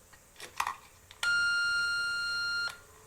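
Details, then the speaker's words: CT2 motorcycle, ignition points timing set with a timing test box and no engine running: a clean, steady beep holds about a second and a half as the points open at the mark, so the timing is correct. "tone so that means that at I think it's 1.8 mm before top dead center the points open and that's correct"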